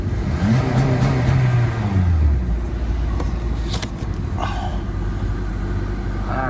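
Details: 2013–2017 Honda Accord after high-pressure fuel pump replacement for P0087, revved after running about 30 seconds: the engine blips up and drops back quickly, then holds an even idle; clean throttle response; normal revving.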